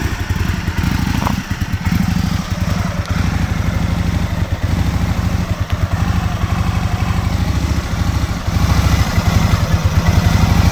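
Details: 2001 Aprilia Futura, in winter 2021, struggling to idle: deep, uneven thumping idle with surging, stumbling beats that never settles, the engine barely hanging on; rough idle of unclear cause that was never fully fixed.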